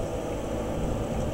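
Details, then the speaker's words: BMW EV conversion with 10 kW charger: steady, even low hum as the coolant pump switches on, coolant flowing, radiator fans faintly audible; normal operation. "there's the coolant pump on, and coolant is flowing. And probably can just hear the cooling fans are on the radiator."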